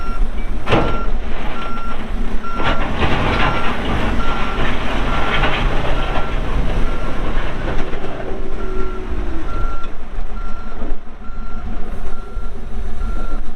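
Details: 2014 Kawasaki 65TMV D2 wheel loader, pre-emissions Isuzu diesel, 7,671 hours, working: evenly spaced high reverse-alarm beeps about every second over diesel rumble; alarm sounding as it should.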